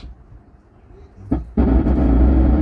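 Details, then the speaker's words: 4440-IC double-chip 100 W amplifier board: at power-on, before playing, a loud harsh rough buzz with heavy low rumble that stays even with volume turned down; audio overdriven and distorting. "आवाज अलग से आ रही है extra आ रही है जो भरभरा की आवाज आ रही है और इसकी ऑडियो बहुत ज्यादा बढ़ गई है जिसके कारण यह आवाज फट रही है"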